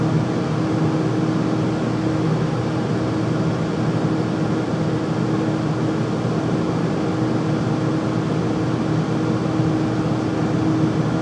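Constant loud roar with a steady hum riding on top and no change over the clip; furnace is noisy, cause not obvious.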